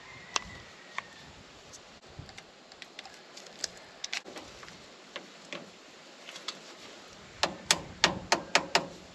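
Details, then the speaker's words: Starter removed for a bench test: sharp dry solenoid clicks with no motor spin, so the starter is seized. After hammer taps it freed up, and the Bendix then spun fast but didn't sound great. "you noticed when I first tried to bench test the starter it would not go I could hear the solenoid clicking and then after I smacked on it with a hammer a little bit it it seemed to free it up"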